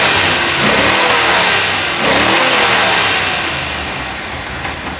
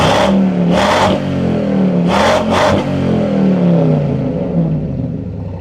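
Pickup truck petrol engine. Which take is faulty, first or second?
second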